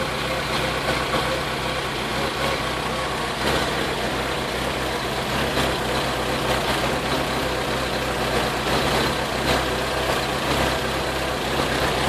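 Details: Vauxhall VX220 engine running with irregular stumbles and occasional sharp puffs breaking the steady note; misfire present, cause unknown.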